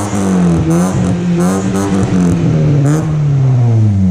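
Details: Honda Civic after stock muffler replaced with aftermarket muffler, adapters and welded hanger: deep, loud, raspy drone swelling with each throttle blip, far louder than stock.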